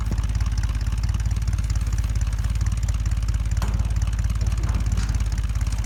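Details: 1975 Ford F-100 V8 with 140,000 miles, abandoned 17 years, first start after revival work; deep, even burble with steady firing pulses and no knocks or misses; normal idle.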